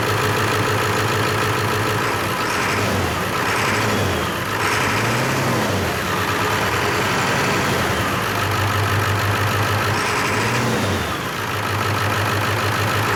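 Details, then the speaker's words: Auction-bought 7.3 Powerstroke diesel donor truck running rough after bleeding fuel filter: uneven clatter sagging and surging every few seconds; one suspects bad injector, other thinks air still in system and nasty brown old fuel, needs heat. "all right i'm thinking probably it's got a bad injector in it"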